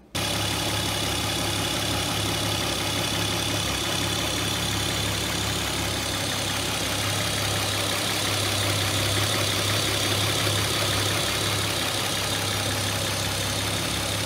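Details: Opel Omega B V6 fully warmed after 20 minutes, following timing belt replacement: steady even smooth idle, earlier hydraulic lifter ticking now gone, healthy.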